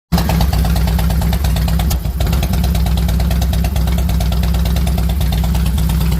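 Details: 2006 Harley-Davidson Softail Deluxe FLSTNI V-twin: heavy, loping idle with uneven, stumbling beat and low thump; rough idle, cause not yet clear.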